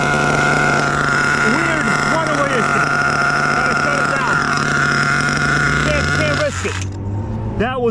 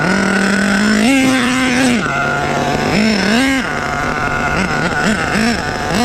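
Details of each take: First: Rebuilt HPI Savage 21 nitro truck with a Dynamite 28 engine: constant high scream that never backs off, then abruptly drops away; a runaway throttle, suspected loss of radio signal/electronics. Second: Rebuilt HPI Savage 21 nitro truck with Dynamite 28 engine, primed and fired up: high buzzing engine picks up cleanly on each throttle blip, then returns to a steady idle; runs healthy.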